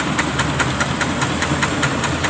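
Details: Thai farm vehicle (e-taen) with single-cylinder Kubota ET11.5 diesel idling just after valve adjustment: even steady puk-puk beat around five per second, no extra knocks or rattles; idles cleanly.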